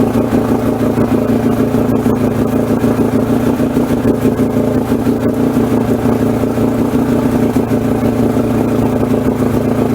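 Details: 1994 Suzuki 115 two-stroke outboard that had stalled and wouldn't run, after Sea Foam fuel treatment. Holds a steady buzzy two-stroke drone at speed without stumbling or surging; running cleanly, normal running.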